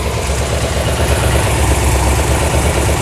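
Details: Car with a newly installed electric cooling fan (replacing the mechanical fan) at warm idle, about 180°F. The fan has not yet kicked on because the probe is set to 185°F. A steady, even low rumble with no knocks or misses.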